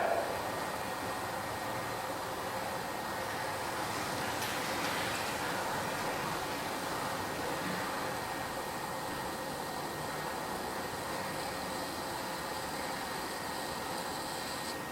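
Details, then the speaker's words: Pressure cooker heating, with tissue placed on the valve: a steady, strong hiss of steam with a faint thin tone on top. This is normal venting as pressure builds. "Nah, jadi uapnya itu keluar dari sini itu ya. Misalkan suhunya masih 50 derajat perhatikan kalau sudah mulai uapnya keluar kencang, nanti karetnya akan nongol."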